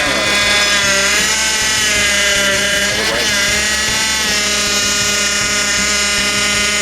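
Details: Honda Accord with a brand-new replacement power steering pump, fluid being topped up, engine running: loud, steady high whine from the pump; air still trapped in the steering fluid.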